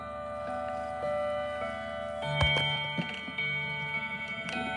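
An even, steady tick with clear bell-like chime notes ringing over it; the movement is running normally.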